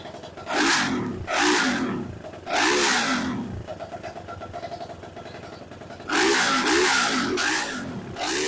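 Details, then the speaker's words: BSE J10 single-cylinder dirt bike after repairs, tank refitted, not yet warmed up, carb still needing tweaking: sharp throttle blips rise quickly and fall back to a lumpy idle; engine revving freely. "Now, the RPMs build up fine. It even starts, though, the carb still needs a bit of tweaking, but that will do once it's warmed up and the sprockets's on, so everything works smooth."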